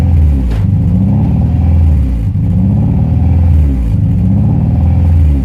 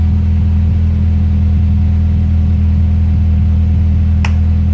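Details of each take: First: Honda Prelude H22 idling; idle hunts up and down about every two seconds and never settles; surge from a vacuum leak, owner concluded intake manifold gasket. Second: Honda Prelude H22 after replacing the leaking intake manifold gasket and cleaning the intake: deep, even idle rumble that holds steady with no hunting or surging, vacuum-leak idle surge fixed.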